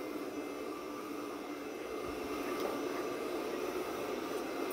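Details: Pure Clean PUCRC99 robot vacuum (11.1V 2000mAh lithium-ion battery) after repair of running only minutes and not charging: steady, even whirring hum at constant pitch, no grinding or stalling; cleaning edges normally, battery holding two bars.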